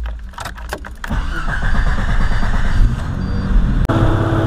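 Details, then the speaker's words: Jeep Cherokee XJ 4.0 after a throttle body/throttle plate adjustment fixing high idle, hot start after running a while: catches quickly and settles into an even, steady idle with no hunting or surge. Normal hot start and idle. "so I can do a hot start for you guys so you'll see that it'll work hot or cold it'll still be consistent"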